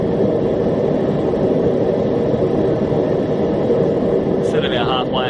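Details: Homemade gas forge on its first test run, with a drilled-out MIG tip (about 1.1) and a 30 lb regulator cranked to about halfway (roughly 15 lb): an even, steady roar with no sputter, pulsing or popping. The burner runs cleanly.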